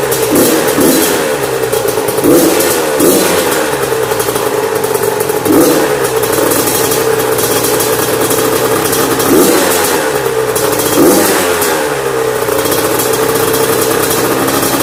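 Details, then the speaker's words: Yamaha YZ85 two-stroke after a top-end and water pump rebuild, with its exhaust header unplugged from a mouse nest, blipped at alternating rpm for break-in. Crisp, clean pickup and steady return. Normal running. "got it all cleaned out and then I'll start it runs really good now just how it's supposed to run"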